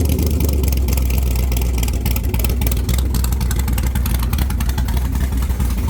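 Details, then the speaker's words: 1978 Chevrolet Caprice with LS swap, idle after the idle screw, set far too high at about 3000 rpm, was turned back down; loud, deep, even V8 lope, settled with no hunting or surging, sounding healthy and properly set. "I turned it way way way way too high and I started in this thing idled it like 3000 RPMs and I was kind of worried there but I screwed it down and I think I got the idle just about right if not we got some room in there"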